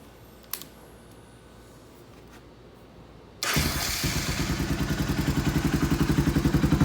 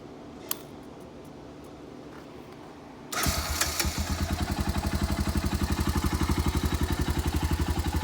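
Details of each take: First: Honda Foreman 350 4x4 ATV with rust-holed, rattling muffler being repaired: engine fires into a harsh blatting thump at each firing pulse, too loud; another quiet core is to be welded in. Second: Honda Foreman 350 4x4 ATV, first start after rebuilding the rusted, rattling muffler by welding: it is quiet at first, then the single catches cleanly and settles into an even, steady thumping idle with no rattle or knock. Normal start-up and idle.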